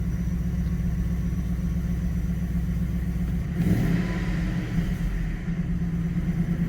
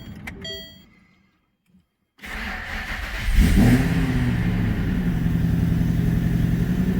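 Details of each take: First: Manual Ford BA GT Boss 290 V8 with an upgraded intake plenum and twin 60mm throttle body replacing the factory 75mm, after its throttle body airflow tables were rescaled 28%: steady, even low idle rumble with no hunting or surging and a brief blip. It idles correctly. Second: Manual Ford BA GT Boss 290 V8 on first start after fitting an upgraded intake plenum in place of the factory plenum and 75mm throttle body, before retuning: keys, then it fires and holds a fast, busy idle. The idle is too high and the throttle body tables need adjusting.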